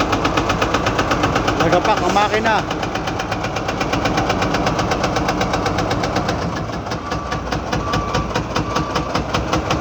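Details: Truck engine knock while unloading: sharp, regular metallic tapping runs steadily over the engine note at idle; cause not pinned down.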